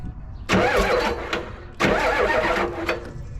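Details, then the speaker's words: 1988-ish Ford wrecker tow truck with a standard transmission, long parked, cranked by bypassing a bad solenoid with the start wire: two even cranking bursts with a steady, unlabored whir, no binding or grinding; the engine isn't seized and sounds healthy. "let's see what that does yeah there we are that's not seized up and give it a quick crank"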